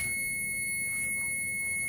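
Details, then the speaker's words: Gas furnace on a no-heat call with an old Z-Flex liner in the chimney: a steady, piercing high-pitched carbon monoxide alarm sounds without a break, warning of unsafe CO in the house. "Yeah, getting the alarm. I mean, it's bad."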